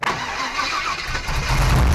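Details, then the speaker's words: 1955 Willys Wagon, first start after rewiring: starter churns, engine catches with a rough low rumble but never settles into a steady idle; owner suspects a bad fuel pump or a plugged fuel line. Fires but will not keep running. "Oh, she wants to. So, I think that either that fuel pump is bad, or this line is plugged maybe."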